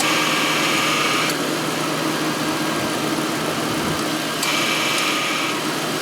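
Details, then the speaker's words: 2000 Ford Crown Victoria idling during an AC refrigerant recharge: a thin compressor whine cuts in, drops out for about three seconds, then returns. Compressor short cycling from low refrigerant. "see now we're dropping into the 20s and the ac compressors staying on longer but we want to be between 35 and 50 pounds when the ac compressor is running"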